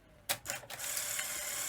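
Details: Sony SL-HF100 Betamax in for poor playback: a sharp clack, then quick clicks and a whirring motor as the cassette ejects cleanly, with a faint high singing from the power supply behind.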